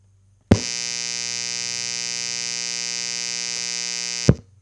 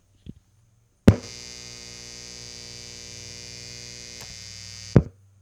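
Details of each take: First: Guitar amp powered from the Bluetti Pioneer Na AC inverter output, boosted about 9 dB: steady raspy electrical buzz, clearly worse than on grid power; significant noise injected by the inverter, line conditioner advised for amps or radios. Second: Guitar amp on grid power as a baseline before testing the Bluetti Pioneer Na inverter, boosted about 9 dB: switch-on thump, steady low hum with faint buzz, switch-off pop; normal mains hum.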